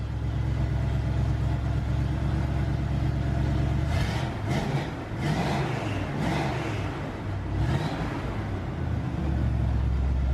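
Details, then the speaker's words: Chevrolet C1500 V8 pickup after fitting cheap MagnaFlow Rumble mufflers: deep even exhaust burble at idle with a brief throttle blip, no rod-knock-like rattle anymore; the mufflers fixed it. "Oop. Nice. Well, that fixed that issue. It sounds way better than I was expecting, actually,"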